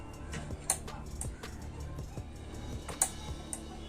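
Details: Onkyo HTR-590 AV receiver (120 V model, run through a converter): a few sharp relay clicks over a faint hum, and the unit never powers up. The main supply is under 1 V while standby measures 24–26 V, pointing to overvoltage with an open diode.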